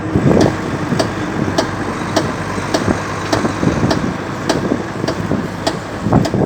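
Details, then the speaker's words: Volvo FMX truck, diesel at idle: sharp regular click roughly every 0.6 seconds from the rear axle area; rear discs are intact, owner suspects something in the rear axle, cause not yet found. "То ли в этом мосту что-то сзади. Вот такой вот звук издает."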